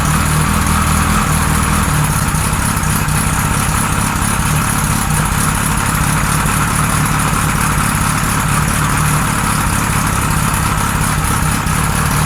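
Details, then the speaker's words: 1978 Kawasaki Z1-R four-cylinder on the stand, first start after carbs installed, idle raised, no enricher: steady but slightly lumpy idle with an uneven hunting beat; carbs 1 and 4 good, middle carbs 2 and 3 out of sync. "one and four are pretty good two and three are not so we're gonna have to tweak those but it's still behaving weirdly"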